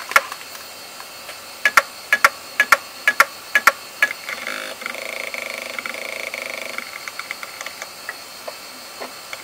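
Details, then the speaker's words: Western Digital hard drive during a seek test: loud irregular clicks and ticks with buzzing chatter. It sounded horrible but still completed the test. "that sounded really really really horrible um amazingly after doing all that nonsense it actually completed the seek test so it might still work but holy cow did that sound awful"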